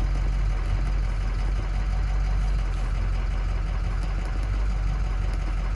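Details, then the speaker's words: 2007 Ford F-250 6.0 diesel V8 at idle: uneven, lumpy beat with truck shaking, codes for cylinder 5 misfire; cylinder 5 has no compression. "tenemos códigos de que el cilindro 5 está fallando"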